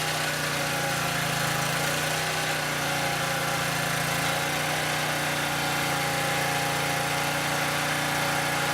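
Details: Southland lawn edger that wouldn't start, spark plug replaced and carburetor checked: small single-cylinder holds an even, steady buzz with no misses or surging; idles smoothly.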